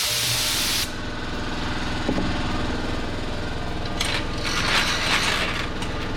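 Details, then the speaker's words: DeWalt air compressor converted from 120 V to 240 V, heard with the door closed after draining air: hiss of air bleeding, then muffled even motor drone with light rhythmic chatter; running normally, not very loud. "Not bad. Not bad at all. It's not very loud out here."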